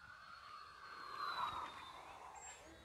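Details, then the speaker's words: During the maiden flight of an E-flite Conscendo Evolution glider in cold weather, a thin high electronic tone holds steadily near one pitch over faint wind; the transmitter's low-voltage warning. "whoa that was my low voltage warning on my transmitter"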